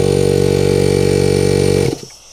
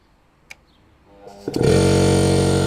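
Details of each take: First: Air compressor fitted with an SSR soft start, switched off but runs as soon as it is plugged in: steady pulsing motor drone that cuts off after about two seconds; check valve ball not holding suspected; compressor starts immediately on plug-in. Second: Air compressor fitted with SSR soft start, charging tank: motor kicks in gently then steady even hum with smooth pumping rhythm as tank fills; normal charging.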